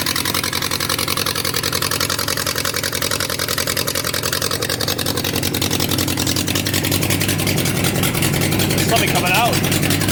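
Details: Abandoned Yamaha XJ 900F four-cylinder motorcycle, believed 1980s, first start after storage with loose exhaust: loud, uneven lumpy idle with a stumbling beat; running on three cylinders, number three believed dead by feel as it stays cold.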